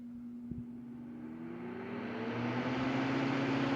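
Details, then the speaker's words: Vintage Sears Kenmore 124.8055 (rebadged Dyna Mimar) fan, reassembled after failed speed coil replaced with triac speed control; quiet motor hum rising smoothly as rushing air builds to full gale speed, then turned down; no rattles or scraping; normal running. "I got it. And then I can turn it down a little bit. It's nice to have that complete variable speed."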